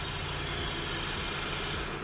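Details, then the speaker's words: Diesel VW Golf with 200,000 miles and a newly welded-in cheap valved aftermarket exhaust, valve switched open via controller: loud, deep diesel roar, hollow unmuffled note; exhaust valve open and working. "Oh my fucking god. It actually works. Holy shit. So that's open."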